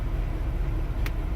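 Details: 2002 BMW 7 Series E65 V8 with misfires on all cylinders after CCV valves replaced: deep, lumpy idle with uneven low pulse, bank two running rough during coil tests; cause suspected, not confirmed.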